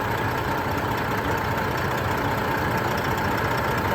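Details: Diesel truck engine with over 600,000 miles and no blow-by, at idle: steady, even low rumble with no knocks or misses; healthy engine.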